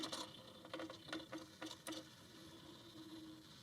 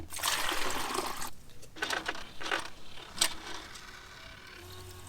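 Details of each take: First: Portable ice machine after limit switch replacement, plugged in in standby and not switched on; faint motor whirr with irregular ticks and clacks as the ice bucket moves by itself because a connector was left unplugged. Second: Portable ice machine running after replacing the faulty limit switch and reconnecting the plug; water trickles and pours, then low pump hum with light clicks as the first ice comes out. Normal cycle.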